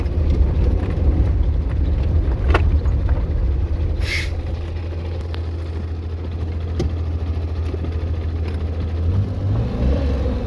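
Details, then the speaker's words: Daewoo Damas manual gearbox on road test after repair for grinding on the 3rd-to-2nd shift and failing to engage 2nd; no play. Steady low engine drone with no grinding or clunks through the shifts. Gearbox healthy. "Sborkasini qildik, endi test drive qilib ko'ramiz, Xudo xolasa. Xudo xolasa korobkada четкий тест-драйв deydimi?"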